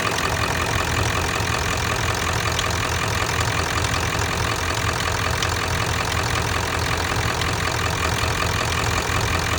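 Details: Ford 7.3 diesel (OBS) at steady idle: fast metallic ticking over the normal typewriter clatter, an extra tick with an undiagnosed source; metallic ticking at idle.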